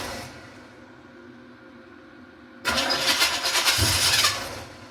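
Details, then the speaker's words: 1986 Camaro Z28 350 small-block V8, carbureted, no coolant, fuel line dripping: quiet, then V8 fires and runs with strong, even burble, some exhaust and choke smoke; sounds healthy on first fire. "We got some smoke. Just exhaust smoke and some cho smoke. Okay, good, good, good, good. Heat. Heat. Sounds pretty good."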